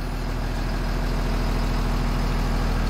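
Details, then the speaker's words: 2007 Blue Bird school bus with a Cummins engine, after fixing a no-crank, no-start caused by a defective starter relay. It starts and settles into a steady, even low diesel rumble at idle: normal idle. "So right there, the bus just started. That's awesome."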